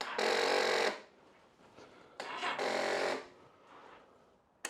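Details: 1999 Yamaha R1 on choke, just refilled with oil and new filter: two short starter whirs under a second each, separated by silence, engine never fires; weak battery suspected.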